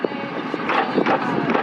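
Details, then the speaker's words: Loose dull clunks, about five in under two seconds, as one rear wheel of a jacked-up Nissan 350Z convertible drift car with a welded diff is rocked by hand; play shows at the axle before the other wheel moves, and the owner suspects a broken weld or cracked part. "Hear that play? And you can see it in the axle right there, so watch. There's this play."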